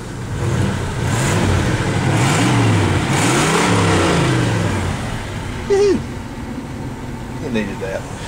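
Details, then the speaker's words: Grand Prix engine after rerouting and taping the second-cylinder plug wire burned on the exhaust manifold: revs up and settles with an even steady beat, no stumble; dead-cylinder misfire fixed, running smoothly. "well she's running good now so good this is gonna run"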